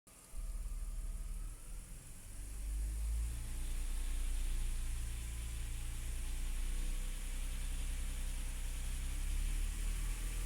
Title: E53 3.0 rattling noise after cold start